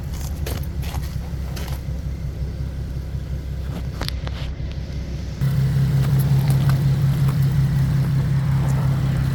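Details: 2015 Nissan 370Z, rebuilt Copart car after front-end collision and frame repair, cold start in the shop: engine catches after handling noise and settles into a steady, even low idle, no knocks or misses; running good.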